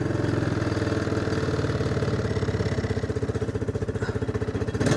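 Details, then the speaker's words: Pull-start single-cylinder engine with decompression lever, just started on full choke, settles to an even, steady putter of about four beats a second as the choke comes fully off; healthy idle. "She's going to idle down nicely. Chokees off completely."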